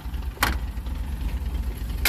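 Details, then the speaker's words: 1980 Fiat X1/9 idling at about 900 rpm with what the owner thinks is a stage 2 cam: a lumpy, choppy idle with sharp metallic rattles as the engine vibration shakes the muffler clamps. "okay so we got the little Fiat running here idling about 900 RPM it's got a bit of a cam I forgot I think it has a stage 2 cam so it idle a little choppy kind of like a V8 muscle car except it's"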